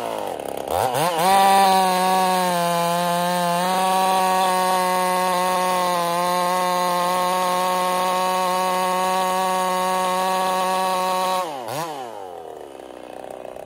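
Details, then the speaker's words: Ported Husqvarna 55 chainsaw under cut: steady high-pitched two-stroke scream, flat pitch but short on revs. Lost over 1000 rpm in about half a tank, new coil didn't correct it, running horribly; power loss. "I've lost over a th000 RPM since this started having issues in we'll say about a half a tank of gas the coil did not correct the problem so it's actually running pretty horrible right now"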